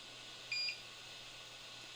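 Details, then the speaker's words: 3D printer beeping during a first two-color print attempt, prompting "insert filament and press button" after it failed to eject the filament at the filament change. "So, because it's you can hear it beeping. It's prompting me. You probably can't read that. No, it's really bright. Uh, it's saying insert filament and press button."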